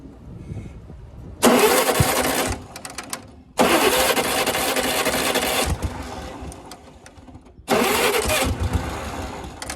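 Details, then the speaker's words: Yazoo mower first start attempt, battery on charger boost: three bursts of rough cranking, each a couple of seconds, dying back without catching; reluctant to start. "up of course now it doesn't want to"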